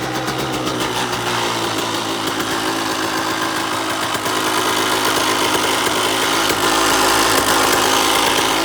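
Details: 2003 KTM SX85 two-stroke motocross bike running: rattly buzzing clatter about four times a second from the gearbox area; shifts fine, owner unsure if gearbox damage or clutch.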